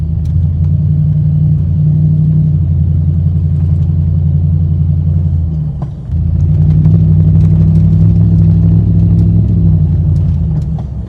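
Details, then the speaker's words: 2002 Toyota Tundra 2UZ-FE V8 with code P0308 (cylinder 8 misfire): deep rumble with an uneven, stumbling beat, occasional pops and dips, rough lurchy idle and bad stumbling on acceleration. A coil pack is suspected. "it was really really obvious like a like a pop every once in a while it just sounded like a misfire"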